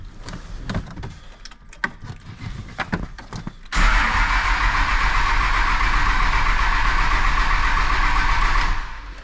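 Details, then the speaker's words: 2003 Dodge Cummins diesel farm truck, bought as a non-runner: steady starter churning about five seconds without catching; Raptor lift pump, which the seller thought was acting up, not heard running while cranking. "he said he thought it was acting up and i don't hear it running when you bump the engine over like that"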